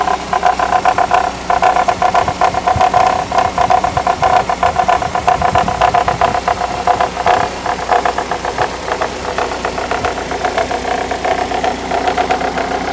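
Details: Mercedes W210 E-Class E200 at idle: uneven light ticking and knocking about two or three taps a second over a mid-pitched idle; engine knocking noise, source unclear.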